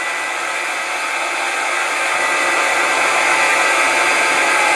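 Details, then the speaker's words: Milling machine motor on newly installed VFD, frequency set to 30 Hz (half speed): steady, airy motor hiss slowing down, no knocks or grinding; normal smooth running at reduced speed. "set it at 30 HZ come on 30 HZ and you hear the motor slowing"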